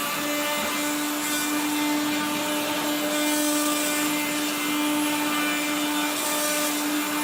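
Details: 1970s blue Regina Electrikbroom 3-speed vacuum vacuuming a floor: a steady high motor whine with a rough, gritty rasp over it the whole time, from motor bearings gone dry after someone washed the motor and fan.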